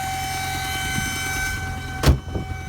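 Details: Polish-language clip: steady high whistle over the engine note, first taken for a failed crankcase breather, which it isn't; boost air escaping through a leaking intake coupler, compressor-like whine heard in cabin and outside, intake air leak whistle.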